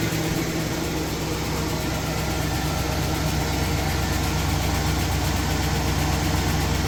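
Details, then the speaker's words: Ford F-350 with replacement 6.2 V8 on first start after engine swap: even idle with a light, quick puffing tick riding on the rumble, about three per second; small exhaust leak. "Exhaust leak? I think a little bit, yeah. Little exhaust leak."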